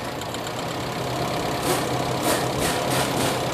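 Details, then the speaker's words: Toyota Kijang engine converted to independent ignition, still vibrating at idle, plug lead drop test: pulling cylinder 2 makes idle turn rough and lumpy, a large change showing that cylinder fires; cylinder 3 later found without spark. "nomor satu busi nomor sat kita cabut Apakah ada perbedaan di sini ada perbedaan kemudian nomor dua nah ini nomor dua besar sekali perbedaannya"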